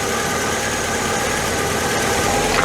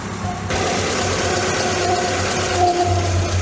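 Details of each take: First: VW MK2 Scirocco after repair of its three-cylinder running: steady, even idle with no misses or hunting, no longer demanding extra fuel and not wanting to run richer. It is ready for adjustment; normal idle. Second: MK2 Volkswagen Scirocco that failed its MOT on emissions and runs on 3 cylinders: uneven, juddery idle that sags as if about to stall. Vacuum leak, suspected cracked carburettor flange.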